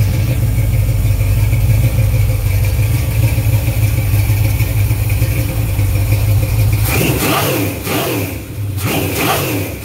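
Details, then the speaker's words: Small block Chevy 350 (355 ci, forged flattop pistons, 9:1, mild Comp cam, headers, Flowmasters) on run stand, 140°, 50–75 psi oil pressure; fast idle then clean throttle blips, no knocking or missing — normal running. "runs like a dream I mean it'd be great for any kind of street application mild hot rod"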